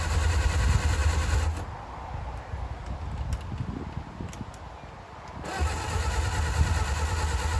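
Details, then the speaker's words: 1959 Reliant Regal Mk5/Mk6 three-wheeler, not run in over 20 years, throttle at idle, full choke, fuel trickled into carb: steady starter churn with a few weak catches; fires occasionally but won't run on its own. "Nothing. Little fire. Okay, this could be it. She is close. So close."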